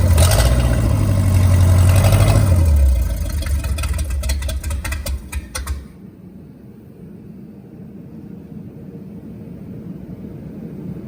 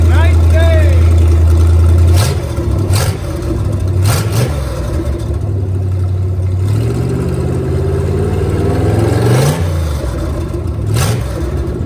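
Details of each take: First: Starboard boat 454 V8: fires and revs, then a sharp pop every rotation at idle, about three a second; some cylinders running cooler, fuel starvation suspected, later traced to a blocked carburettor primary jet. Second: Starboard 454 marine engine after a carburetor swap, previously running on four cylinders due to a clogged primary jet: picks up cleanly through the revs and settles back, firing evenly on all cylinders with no stumble.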